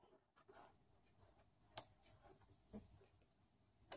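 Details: Automotive relay bench test with the multimeter on the 87a circuit, which opens when power is applied: two crisp single clicks about two seconds apart in a quiet room; the relay switches cleanly as it should.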